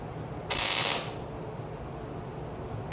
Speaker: hear that nice, hot, quick tacks. It's a good way to go.